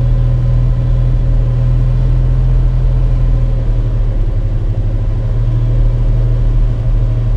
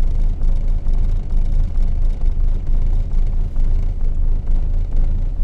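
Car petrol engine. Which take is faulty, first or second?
second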